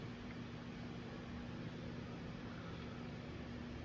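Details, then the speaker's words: 1980 Emerson Heat Fan/Blender ceiling fan (K63 motor, three fiberglass blades, stepped flywheel) turning slowly at low speed on a variable speed control; barely audible, ever-so-slight even hum and airy hiss, no wobble or rubbing; exceptionally balanced, normal running. "You can barely hear it running. It has a slight, ever so slight hum, but it does very well on this control."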